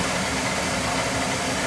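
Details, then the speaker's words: Oil boiler about three years old that ran out of oil, after bleeding the airlocked oil line and cleaning the burner head, with good draft over fire: steady, even roar with soft low rumble, no surging or puffing. Normal burner operation. "I cleaned the burner head, good draft over fire. And I had to bleed the oil line. Full of air, they ran out of oil."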